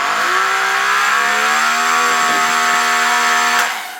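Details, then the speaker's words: DeWalt 3000 PSI 15A corded electric pressure washer started with the water supply not turned on: loud high motor whine with harsh buzzing edge, steady then cut off; pump running dry. "I don't know why it's doing that let let me know in the comments if it's good or bad let's start and then off I got to disconnect it cuz I forgot to turn on the water yeah that's my fault"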